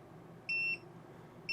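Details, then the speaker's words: TST touchscreen TPMS monitor, required pressure raised from 30 to 40 to trigger an alert: two sharp, high-pitched quarter-second beeps a second apart, signalling low tire pressure; tapping the screen silences it. "You can hear our monitor go off to signal that we have low pressure, and it tells me which of the tires have low pressure."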